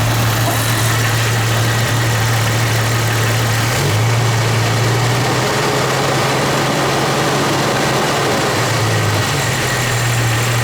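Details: Jeep XJ petrol engine idling with a low steady drone and persistent knock, hot or cold, that goes away under load; replacing a cracked exhaust manifold and tightening flex plate to torque converter bolts helped slightly; cause still unknown.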